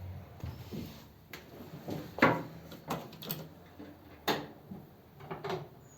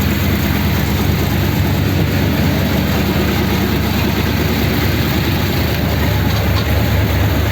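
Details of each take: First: 286 cu in flathead (3-3/8 in bore, 4 in stroke) on first start at fast idle: sharp, uneven pops and bangs every second or so as it struggles; backfire from swapped number 3 and 4 plug leads. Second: 286 cu in flathead V8 (3-3/8in bore, 4in stroke) beach race car at first start, fast idle, deep even rumble, no knocks or surging; earlier issues with battery, distributor and oil filter seal.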